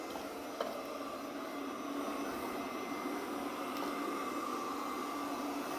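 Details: Pure Clean PUCRC99 robot vacuum (11.1V 2000mAh lithium-ion battery) after repair of running only minutes and not charging: soft, even motor hum, steady mid tone, no knocks or grinding; cleaning normally with battery indicator still at two bars.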